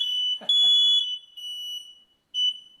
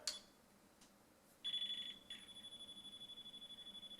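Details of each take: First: Newly installed hardwired, interconnected smoke detector with battery backup, test button pressed: a piercing high-pitched alarm sounds in loud pulses and sets off the other installed detectors, so the interconnect is working. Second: Newly installed hardwired smoke detector tested on battery backup: a shrill beep, then a fast, even pulse train. It triggered the other still-installed alarms through the red interconnect wire; this is a normal interconnected alarm test.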